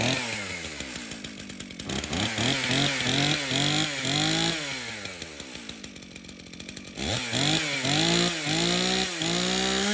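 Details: Stihl MS 391 chainsaw, customer-reported no-start, run outside with fresh two-stroke mix: revs freely through repeated throttle blips, crisp and even, no bogging. It starts and runs fine; stale watery fuel is suspected as the cause.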